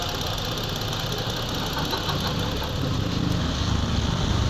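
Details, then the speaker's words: Ford Explorer 3.5 V6 just reassembled after top overhaul (overheating, water pump), first run: even, quiet idle with smooth low rumble, no knock or tick; oil cap shows no water-oil mixing; normal healthy idle. "So ito po siya, tahimik naman ang andar nito at maayos, wala po siyang problema."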